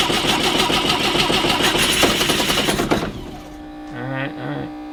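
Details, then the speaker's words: A project 2002's engine is started for the first time since about 1987, roughly 30 years, with the fuel pump running, and revved up right away. It revs hard and clean for a few seconds, then settles, with no knocks, ticks or grinding; it sounds pretty good and the rev is normal. "It's the first thing you gotta do when you start a motor for the first time, you just rev it up. Hasn't ran since like 1987."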